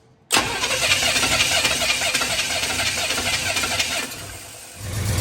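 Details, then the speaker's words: $100 Chevy 350 with intake manifold fitted, for a 4x4 1972 Chevy truck, improvised IV fuel feed, valve covers off: catches hard, runs rough with popping bursts then sags; backfiring, ignition timing badly off, poor carburetor. "alive! It's alive! And it's backfiring. Yeah, it's not timed at all. That carburetor is a piece of crap. That's what blew out of it."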